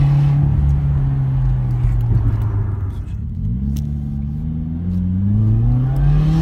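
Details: 2017 Subaru WRX, no mods or tune, at high RPM under high boost: rattling, buzzy metallic noise over the deep drone, caused by a missing or snapped exhaust manifold nut creating a boost/exhaust leak; second occurrence.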